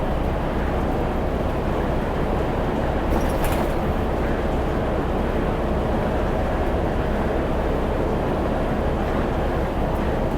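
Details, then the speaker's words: Irisbus reserve coach no. 1106, heard from inside while driving toward the depot with no cruise control: constant heavy low droning roar at moderate revs that never lets up; the engine is noisier than the driver's usual coach, cause unknown. "Ah voilà, vous allez entendre ce bruit là tout le long. Il en fait du bruit."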